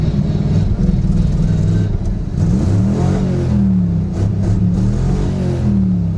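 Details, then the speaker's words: 1963 Chevy Nova, 283 small-block V8, three on the tree, night drive in Wisconsin with new exhaust: revs rise unevenly with a stumbling, choppy note under throttle; it's missing and almost sounds lean, the rear end is unhappy, and carb, accelerator pump or ignition are suspected. "yeah, it's missing. Also, that rear end is very unhappy. Almost sounds lean."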